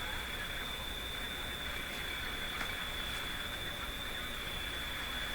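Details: Philco Model 24T five-tube radio during alignment, IF test signal fed in. A thin, high-pitched warble rides over steady static from the speaker, caused by interference from nearby computer screens.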